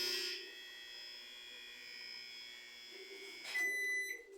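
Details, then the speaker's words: Microwave oven, cover off, with control board and power relay already replaced; once the timer is set, a loud, steady electrical buzz with a sharp whine. "mas só quando você bota o tempo nele ele faz um barulho que é bem incomodando"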